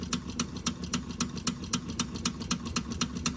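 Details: Wilesco D6 toy steam engine fired by old, crumbled solid fuel tablets, flame possibly low; slow, even chuffing about four beats a second with sharp exhaust puffs, running slowly.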